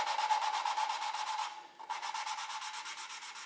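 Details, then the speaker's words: Model T Ford engine build, hand lapping a valve seat with grinding compound and a suction cup: rhythmic gritty rubbing strokes about three a second that grow quieter as the compound wears and the seat smooths. "can you hear as I go it gets quieter some of that is because the Finish is smoothing up some as we're wearing out the compound"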